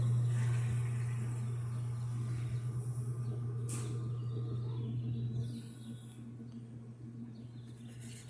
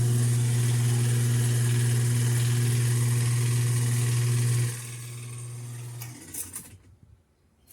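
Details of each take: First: American-style top-load washer that would not agitate and made noise, after refitting the agitator and tightening its bolt: steady low motor hum spinning up with no knocking or grinding; normal spin cycle after basic repair. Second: American top-load washer motor hums steadily but won't agitate; worn motor coupling slipping instead of driving the transmission, with some oil seen at the sides.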